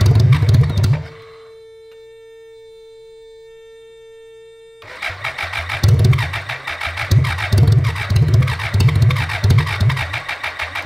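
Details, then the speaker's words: 1985 BMW K100 1000cc fuel-injected engine after 15 years stored, 15-year-old fuel in tank: catches briefly and dies, then after a pause fires into a rough, lumpy low-speed run; fuel starvation, suspected bad fuel pump. "Is that the fuel pump? We've got a bad fuel pump."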